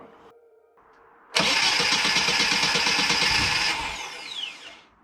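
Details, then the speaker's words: 1990 Mini ERA Turbo, over 262,000 miles, just fitted with a new carb: brisk, even starter churning for a couple of seconds never catches, then dies away. Flooded engine that cranks but won't start. "so as you saw i was trying to crank it over get it started with the new carbon"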